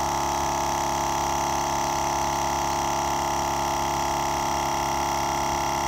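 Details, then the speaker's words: GSPSCN 12V dual-cylinder portable air compressor inflating a flat load range E BFGoodrich KO2 truck tire: a steady even hum with constant pitch and no knocking; quieter than the owner's Stanley Fat Max; normal running. "i really like how quiet it is that's way quieter than my stanley fat max"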